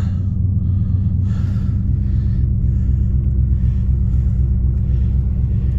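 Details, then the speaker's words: 1992 Buick Roadmaster, TBI 350 Chevy V8, 169,000 miles, started after sitting months in snow at -25 nights, needed battery swap: deep steady V8 rumble, even low beat, no knocks or misses; healthy cold-start idle, charging. "whew oh yeah give me that tbi rumble see what's going on oh she's charging"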